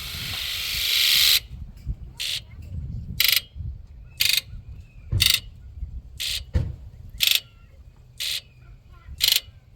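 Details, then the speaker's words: OBS Ford 7.3 Powerstroke, 32 years old and long abandoned: during an engine-off injector buzz test, heard from outside the truck, all injectors give short crisp buzzes about one per second, but cylinders 5 and 7 sound noticeably weaker. "5 and 7 definitely sound weak, but we got our injector buzz test done. They all buzz, that's a good sign."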